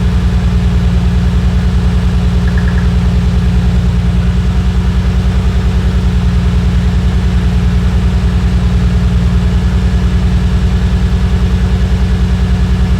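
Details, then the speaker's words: Nissan Skyline R34 idling during coil testing; lifting the coil on cylinder number four from the front gives no spark: idle pulses about 200 beats a minute, slightly uneven; misfire from the bad number four ignition coil. "I'mma lift this up nothing no spark hear that all right that one so hopefully you guys could hear that coil number four was ba"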